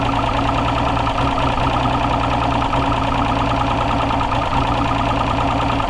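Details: Two-stroke outboard that had sat unused, run on water after a new fuel injector was fitted: a loud, steady drone with an even low beat and no misses. It runs smoothly, though a leak was later found under a valve.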